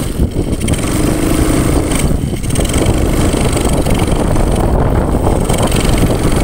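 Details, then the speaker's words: Honda Supra X 125 carbureted single-cylinder, tested in a rice field: stumbles and bogs when revved, uneven choked "ngok" note instead of clean pickup; misfire from a loose charging fuse. "dengan permasalahan kalau gigas itu gitu Bolo katanya ini tak coba juga iya Bolo ternyata ngok bolo"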